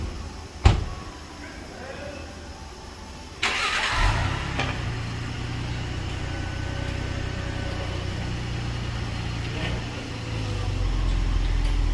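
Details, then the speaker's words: 2020-2022 Ford Explorer police unit, rear axle after repair instead of CV axle replacement, phone held near axle: knock and clunk, suspension grunt, brake squeal from galled shiny rotors; metallic ting gone. "all right no more ting popping going on what you hear is the brake squeal because of how gold over the rotors are"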